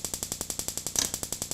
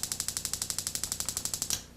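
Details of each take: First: Dual Therm 315526 RV furnace ignition board on a bench tester, instant-fire single-try remote sense board, a known-good board: crisp, even spark snapping at about eleven per second with no skips; igniter sparking normally. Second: RV water heater/refrigerator control board (part 230587) on Dinosaur Electronics board tester; rapid sharp spark ticking about eleven a second for under two seconds, then stops; sparks but no gas valve output, board faulty.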